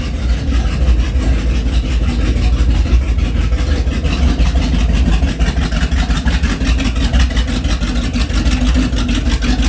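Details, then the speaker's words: Big-block 454 7.4L MerCruiser Bravo 1 in a 1994 Sunsation Dominator 32, started to warm up before winterizing, water flow at exhaust tips checked; steady low burble with even pulses and exhaust-water splash, good water flow; normal idle. "We are definitely good on water flow."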